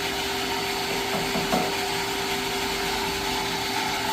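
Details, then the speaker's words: Jetmatic-system water pump after repair, bearing and rubber seal replaced to stop a leak, noisy before: even, steady hum with constant tone and no knocking or grinding while it slowly builds pressure; pump runs smoothly and quietly. "Okay. So yun guys ah. Okay na siya no? Pino na umandar. Tahimik siya ngayon."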